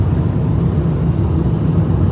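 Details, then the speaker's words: 2017 Citroën Berlingo van, six-speed automatic, after cam and cam-belt replacement, on the road: low, constant droning roar following road speed over a quiet engine; loud road noise from all-weather tyres. "hear those tyres yeah it's got those all-weather tyres on it and i did say at the start they sound terrible"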